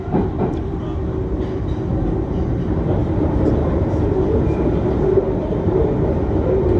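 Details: London Underground train running eastbound to Cockfosters through a tunnel: rumbling run with a thin, wavering squeal that comes and goes as the train turns left and right through curves; wheel flange squeal.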